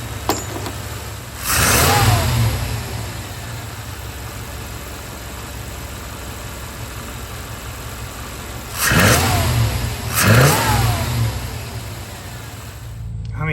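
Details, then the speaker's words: 1994 Chevy OBS V8 after a distributor and ignition coil swap and resetting the timing: two clean, crisp throttle blips falling back to a steady idle, sounding healthy. "that seems [Music] perfect sounds great"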